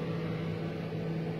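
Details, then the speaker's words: General Profile refrigerator model RG2300YGFGG, repaired for not freezing or cooling and a control board that shut off: the evaporator fan now runs with a steady low hum and an even whir, with no rubbing or ticking. Normal fan operation, cooling restored. "bueno ahora sí se escucha el ventilador ya el frío aquí está hermoso"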